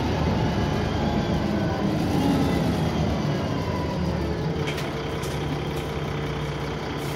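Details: Alexander Dennis Trident 2 diesel bus pulling away: a heavy diesel rumble with a thin, high whine climbing over it. The whine is unusually loud; it is described as turbo whine, but the source is unconfirmed.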